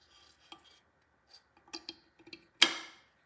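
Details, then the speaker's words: Panasonic BGH1 camera fixture plate in an Anglerfish underwater housing: a few light taps, then one sharp, crisp click as the plate slides onto its pins and locks into the locking mechanism; fixture plate latch engaged. "you can hear the clicking sound indicating that the fixture plate is engaged with the locking mechanism"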